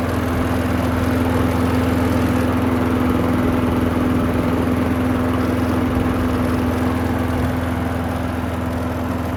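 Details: Curbside Craftsman walk-behind mower that wouldn't start after hitting something, given fresh gas: the single-cylinder now runs with a steady, even drone, no misses or knocks. It runs good; only the handle hardware needs tightening.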